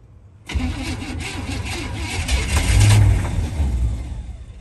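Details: 1961 Chevrolet Impala barn find, sleeping 28 years, first start with starting fluid: cranks, catches and runs with uneven, lumpy low beat swelling and fading; rough running after start, noise source unconfirmed (rockers suspected), oil full.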